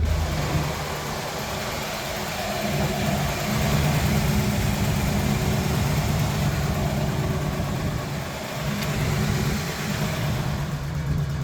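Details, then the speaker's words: Truck that doesn't need oil, started cold on a windy day: low, slightly uneven idle that swells and settles, no knocks or ticks; just cold, normal cold idle. "She's just cold. I love this stupid truck."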